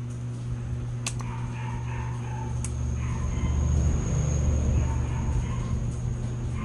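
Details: AVR voltage regulator on 220 V AC that the customer says is noisy when running, heard after adjusting the voltage pot to 138 V: steady low mains hum with sharp clicks. The relay is buzzing and clicking; the relay may need replacing.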